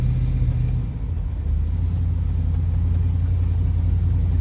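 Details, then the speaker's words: Dually Indy 500 pace truck with TBI injection on a road drive at about quarter throttle: deep drone that stumbles and breaks up instead of pulling; owner planned a timing adjustment. "Yeah, if you hear how it breaks up, I'm at about, I don't know, quarter throttle. It just does not want to go."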